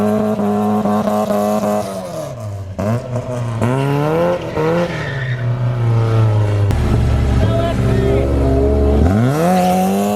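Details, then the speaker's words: Porsche 944 race car driven hard after fresh gas replaced stale fuel: revs rise and fall cleanly under throttle with tires squealing through turns, no stumble; runs really good, open diff. "There it is, guys. A little new gas and It's running. yeah, it runs really good."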